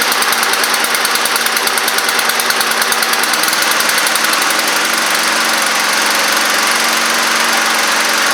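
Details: Neglected Honda Harmony II push mower after tightening a leaking carburetor bowl: small single-cylinder runs at a fast, even beat, holding steady speed with no missing or surging; running properly.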